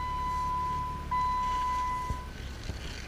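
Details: Jeep Wrangler JK at start-up, ideally cold: steady high whine over rough idle from an unhappy power steering pump; a ticking sound is also noted.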